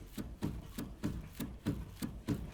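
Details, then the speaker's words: Second-phase Renault Duster, body rocked side to side by hand before lifting: dull hollow knocks about four a second from worn stabilizer bar bushings, despite other shops having replaced tie rod ends and ball joints. "перед тем как поднимается смотреть подвеску нужно раскачать вправо-влево на вот такие наклоны прямо вручную прямо вот пока не подняли и все наше внимание на втулки стабилизатора"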